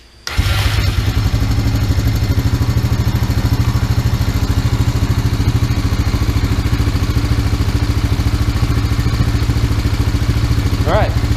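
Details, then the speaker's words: Used Honda Rancher 350 ATV just after fresh oil and filter, air box off, primed and started: fires right up and settles into fast, regular single-cylinder thumping idle, no misses, knocks or rattles, no smoke; healthy. "It didn't run this good, but everything sounded just good. So no smoke. No smoke, exhaust sounds good."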